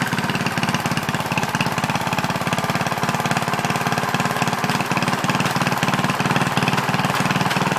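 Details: Original 1963 Cub Cadet single-cylinder on its first drive after clutch work, stack fitted: evenly spaced thumps at a constant idle with no misses or knocks; normal running.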